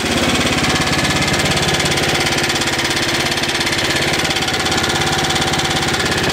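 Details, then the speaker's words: 3-4 year old 5 HP Tecumseh single running fast with loud exhaust: light regular tapping that seems to come from the crankcase; owner suspects rod knock, not certain. "I don't know about you but it sounds like it might have a little knock in"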